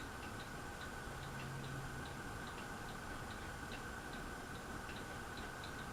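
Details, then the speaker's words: Harbor Breeze Aristocrat ceiling fan on medium speed: quiet steady hum with a light regular tick several times a second alongside rotation; fan clicking, cause unclear. "can't look cook clicking a little bit"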